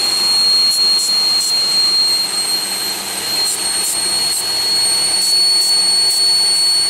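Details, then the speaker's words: 2001 Pontiac Aztek GT, rebuilt engine that had sat in pieces 8 months, at idle: loud steady high-pitched whistle that got quieter when the upper intake plenum gasket area was checked, likely a vacuum leak at that gasket. "so it's coming from it's definitely coming from the funding gasket it's not even as loud as it was"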